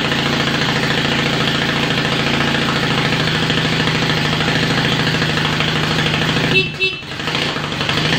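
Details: Yamaha XS650 dual-sport build, kick-started the day after its first start after sitting overnight, with a straight-through perforated exhaust being made into a glass pack: a steady, even idle with a soft, quiet exhaust note and no knocks or misses. Normal idle.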